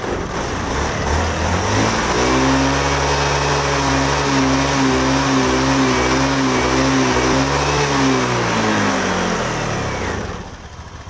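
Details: Honda Beat FI scooter after fixing MIL code 8 (TPS sensor) by adjusting TPS and raising sensor wire voltage: engine pulls up cleanly through a rev, holds smooth steady note, drops back and shuts off without stumbling; runs healthy.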